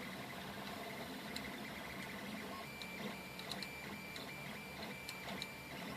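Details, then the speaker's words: 3D printer at 200% speed (80 mm/s, 40 mm/s outer shell): fast stepper whirring with irregular light ticks and buzzy chatter that stops when the frame screws are held; loose screws rattling. "So if I grab these screws, all the rattling goes away. If I let go of the screws, you can hear the rattle."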